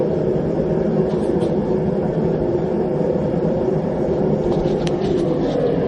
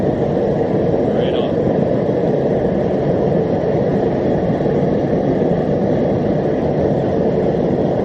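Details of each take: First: Homemade gas forge on its first test run, with a burner using a drilled-out MIG tip (about 1.1). The regulator is turned down too low, pressure not gauged, and the flame burns back up into the tube: a steady hollow roar with a few faint pops. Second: Homemade gas forge on its first test run, with a burner using a drilled-out MIG tip (about 1.1) and a 30 lb regulator at about half (roughly 15 lb): a steady, even roar with no sputter, pulsing or popping. The burner runs cleanly.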